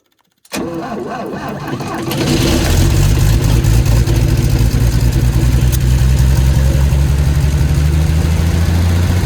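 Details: Lincoln SAE 300 welder with Chevy inline-6 engine after ignition circuit repair, choked, primed, half throttle: cranks briefly, catches within a second or two, strong even low rumble with no misses; healthy.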